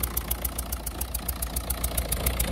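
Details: Peugeot/Citroën 1.6 HDi diesel idling unevenly with blue smoke, a sharp regular ticking puff about seven times a second from a leaking injector seal; injectors to be removed and seals replaced.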